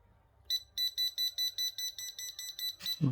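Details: Laser level: rapid high-pitched beeping, about five a second, even though it is set level; false warning suspected from the rubber ring touching the housing and moisture, fixed by drying and cleaning.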